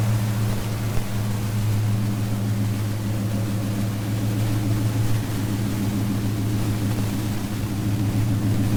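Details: 1977 Chevy Nova Concours V8 idling after carburetor-to-intake gasket replacement, new plugs, wires, distributor cap and rotor, oil and transmission fluid, and carburetor adjustment: deep, steady burble, even beat, no hunting, hiss or stumble. Old gasket was smashed, sucking air. Normal idle.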